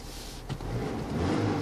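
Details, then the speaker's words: Car cabin after re-grounding the head unit's audio lines: short engine rev with no rising whine from the speakers; speaker whine that rose with throttle is gone. "сейчас проверим пропал ли писк Опа что Звук"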